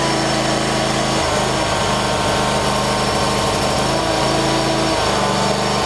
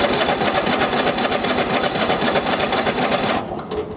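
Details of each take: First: Troy-Bilt lawn tractor, hard to start since new, after choke/throttle cable adjusted to about 1/8 in play: fires and runs with an even beat, settles lower partway, shuts off cleanly. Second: Troy-Bilt lawn tractor with Kohler engine, hard starting since new: steady starter cranking about four beats per second without firing; choke not engaging with throttle fully up, starts when gas poured into carburetor.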